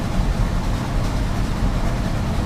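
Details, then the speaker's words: 1981 Chevy C30 dually, cold start with choke disconnected, a couple of pedal pumps, after vacuum advance reconnected: steady low rumble with even firing beat, no stumbling; previously it died immediately after starting; normal cold start idle. "I found out yesterday the choke is disconnected on this thing so no joke just a cold start give it a couple of pumps oh yeah she is starting right up now"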